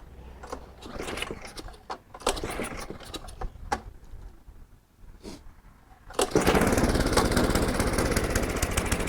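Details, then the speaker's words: Older Craftsman SnowKing snowblower, revived with a plug change, oil change and Sea Foam, carburetor shot with starter fluid. After handling noises it catches at once and settles into a steady, even note. Cable needs adjusting. Normal running. "I mean she's running great I gotta do a little adjustments to the cable here"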